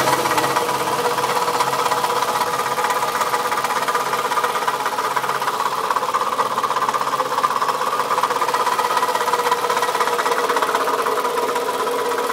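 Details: 2004 Toyota Camry at idle, noise that started today: a sharp, fairly even knock about twice a second over the idle. Owner suspects a bad piston; not confirmed.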